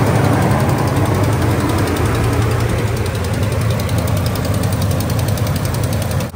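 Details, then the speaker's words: 2017 Ram 1500 5.7 Hemi on a fresh cold start after sitting overnight: quick, sharp, even ticking in step with the engine over idle. Exhaust manifold leak from a broken bolt, loudest cold, before repair. "Yep, the old exhaust manifold tick. Let's get that fixed."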